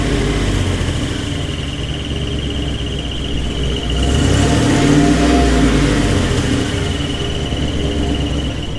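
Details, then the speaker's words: GMC 2500 Vortec V8, warm: thin steady high squeak over low idle rumble, traced by listening stick toward the bell housing, not transmission or belts; follows engine speed, goes away when revved; cause unknown. "as you can see it's quite loud and it's just starting i mean as you drive the truck it doesn't get a whole whole bunch louder but it goes with the speed of the engine but if i rev it up it will go away"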